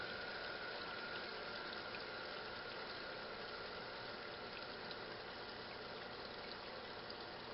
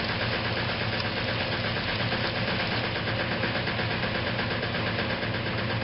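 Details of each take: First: Restored 1956 Whirlpool Imperial belt-drive washer agitating after filling with a perforated tub: a quiet, even swish of water with a faint steady whine underneath. The belt-drive agitation sounds smooth and normal. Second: Restored 1956 Whirlpool Imperial washer in final spin: a heavy drone with an irregular knock about three times a second. The rear motor access plate was never refitted properly and rattles against the cabinet, not affecting operation.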